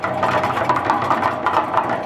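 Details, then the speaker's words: Harbor Freight 3.5 cu ft cement mixer, model 67536, freshly assembled and greased, running: steady motor hum with quick metallic ticks and an occasional clunk from the metal gear drive; owner suspects some poorly punched gear teeth or holes. "ever so often you hear it just hit one it goes like it's clunking like BAM and I just think there's some of the teeth are some of the holes or not as punched through and when it when it hits that one it just makes a little louder noise"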